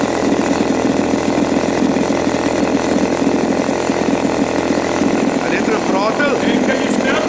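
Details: New Turnigy TP31-T 31cc twin gas engine (CD ignition, Walbro carb), first run in a cold room with the choke off: a steady, fast, even buzzing idle with no misses or surging, a smooth low speed; the high-speed needle is still to be set after run-in.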